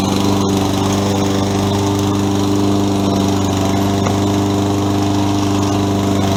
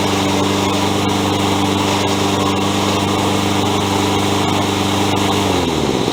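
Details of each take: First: Toro 20374 self-propelled mower after replacing stripped plastic-gear rear drive wheels with metal-sprocket wheels (part 137-4835) and new pinion gears: even, steady small-engine drone, no grinding, skipping or clicking; normal self-propelled drive. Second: Toro 20374 mower running: steady engine hum with sharp irregular clicks and grinding from worn plastic-gear rear drive wheels; fix is replacing with metal-gear wheels and pinion gears.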